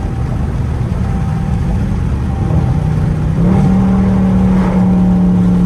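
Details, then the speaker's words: Dodge Charger Scat Pack Widebody V8 accelerating on highway after active exhaust squeak fix (squeaked at slow speeds and startup, mainly in manual mode); deep rumble rising smoothly in pitch, no squeak or chirp, normal exhaust. "Slight pulling while I was on the highway, but nonetheless, you know what I'm saying, I ain't heard no squeak shit."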